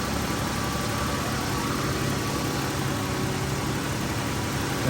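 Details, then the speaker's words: 2012 Chrysler 300 3.6 L, first start after rocker arm replacement; engine had two damaged cams from earlier ticking. Smooth, even idle with a steady low hum and no ticking or tapping from the valvetrain, a normal idle. "that sounds pretty good for two bad cams"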